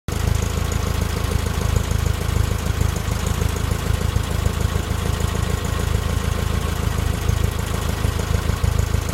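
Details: VW Type 4 air-cooled flat-four at warm idle with a random, uneven knock about three times a second, present only when warm and gone above idle. It was solved by replacing the worn cam thrust bearing.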